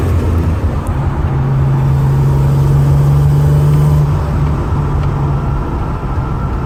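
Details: Pontiac Grand Prix (L36) misfire, some clips with a blow-off valve, some without: engine pulling hard with a low drone that stumbles and breaks up unevenly under acceleration.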